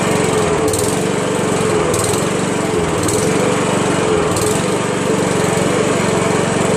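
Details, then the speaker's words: Honda Harmony HRM215 SX self-propelled mower, GXV140 engine: steady fast single-cylinder drone with slightly uneven beat as it burns off a large amount of oil collected in the muffler, started after a day of drying. "now we know we had a ton of oil in that muffler so I'm gonna just start it up and burn that stuff off"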